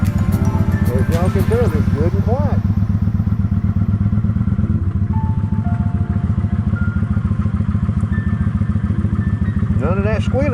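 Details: Kawasaki Vulcan 900 motorcycle after cleaning its repeatedly clogged secondary fuel pump filter: idles with a steady, even low thump and no fuel pump squeal, music in the background.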